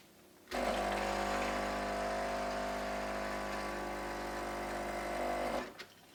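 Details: DeLonghi EC310 espresso machine vibration pump after noise fix with a hair band as damper: steady, even buzzing hum for about five seconds, normal damped pump sound.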